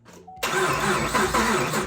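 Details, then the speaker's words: Sluggish cranking of about 1.5 s, dragging unevenly on each compression stroke, on an LS3 Chevrolet Camaro at first start after a Texas Speed BFD cam swap. Coil packs are unhooked, and the weak battery is blamed. "we're going to go ahead and fire it up battery's a little bit weak I'm going to hook the coil packs up we're just going to have to fire it up cuz the battery's weak and I don't have enough battery to crank on it and really get a lot of oil pressure"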